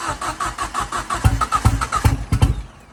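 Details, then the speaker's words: Ford Fiesta RS Turbo restoration, first start: even starter pulses, about two and a half per second, no firing; fuel pump primed but not enough fuel coming through. Cranks but won't start. "we are going to keep going we not giving up this easy if I had some of you know to spray this we'd have it running by now wouldn't we"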